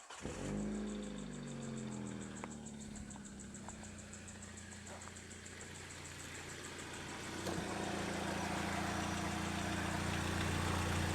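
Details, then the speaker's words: Used Hyundai donor engine with 212,000 km, oil slightly overfull, evidence of regular servicing; cranks, catches quickly and settles to a smooth, even idle, then a clean rev-up with no ticks, knocks or blow-by; normal idle. "looking alright. It's sounding a lot better."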